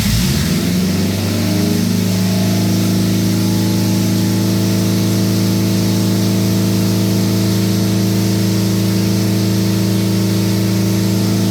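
Engine catches within a second and settles into a steady, even idle with a smooth low hum; runs cleanly.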